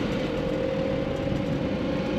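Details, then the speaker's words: Mercedes W115 220D /8 diesel, idle just turned down after driving: steady even idle with low rumble and faint hum, no knocks or misses, running smooth; microphone on camera. "Maybe you can hear it. Engine is running smooth and idling."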